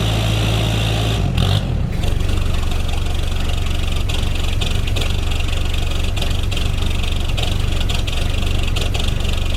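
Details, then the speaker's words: Diesel ute, cold start: long crank, then the engine catches and settles into a rough, uneven clatter while cold; hard cold start, owner attributes it to glow plugs needing replacement. "such is the cold starts on cliffy here's why you should change your glow plugs regularly"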